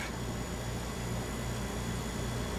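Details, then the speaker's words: Refrigerator after replacing failed start relay: compressor starts right away and runs with steady even low hum, no clicking or cycling; running smoothly. "you can hear it's running quite smoothly."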